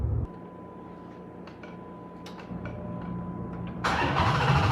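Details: Chrysler 300C Hemi at start-up: starter cranks about three seconds, then the engine catches with a sudden, very loud roar, noisier than normal; cause unclear.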